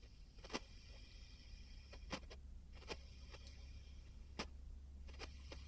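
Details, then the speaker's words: Vacuum tube amplifier, all preamp controls at zero, microphone against speaker; low mains hum with a few sharp irregular crackles as a control turns; a little crackling, not bad enough to need sorting; scratchy potentiometer. "little bit of crackling not too bad presence control again not too bad doesn't need sorting out"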